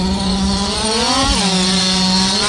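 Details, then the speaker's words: Losi DBXL 1/5-scale RC truck with a Zenoah 32cc two-stroke, first run after two years, in thick mud on heavy mud tires: buzzy pitch climbs, then sags and stays low under load; the engine bogs and needs tuning. "Oh, you can hear the engine bogging just a bit. That's okay. Still have to kind of tune it up a little bit. Yeah, it needs tuning."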